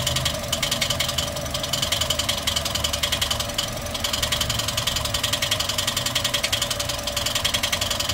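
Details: Toyota 1NR-FE engine with nearly 400,000 on it, idling before repair: fast light metallic rattle, three or four ticks a second; loud timing chain noise; timing chain later replaced and hydraulic lifters cleaned.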